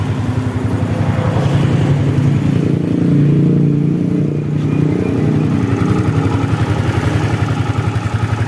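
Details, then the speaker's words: Yamaha New Vixion Lightning (NVL) after rocker arm repair and full reassembly: even idle with clean throttle blip rise and fall; earlier top-end clatter gone, engine healthy. "ini sudah halus ya teman-teman kita gas sudah hilang suara kletek-kleteknya"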